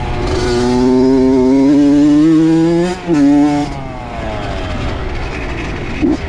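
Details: Honda CR80 two-stroke with Keihin PWK 28 carb, after replacing an oil-fouled spark plug: crisp revs climb and drop with a clean, even note and no bogging or spitting. Running right, though possibly lean.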